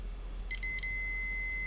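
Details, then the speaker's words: Vacuum tube microphone amplifier repair: the multimeter is switched to continuity on one of its fuses, giving a couple of short chirps then one steady high beep. Continuity is present, so this fuse is good. "since it's a fuse i can also switch it to continuity okay there we go and here we have the first fuse okay so this fuse is good"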